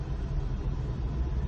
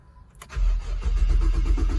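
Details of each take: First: Ex-police 2008 Holden Commodore VE Series 1 on first test drive after fuel, spark, air and TCM fault repairs: deep, steady drone under load with no hesitation, misses or surges; strong engine pulling smoothly. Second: 2008 Holden Commodore VE ex-police car after new spark plugs, with a TCM fault present: cranks, fires and revs unevenly, surging and bogging down when revved. Rough running, cause not confirmed.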